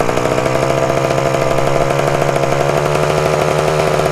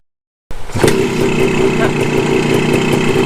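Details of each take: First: 1974 Honda MT250 Elsinore two-stroke at first startup after fitting the correct ignition coil: screams at constant high pitch with no drop in revs. The throttle was stuck, and it kept running even with the spark plug boot pulled off. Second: 1974 Honda MT250 Elsinore two-stroke after correcting a points plate installed 180 degrees backwards, which had caused wrong spark timing: fires up and settles into a fairly even idle with a steady note and no misfires; runs much better.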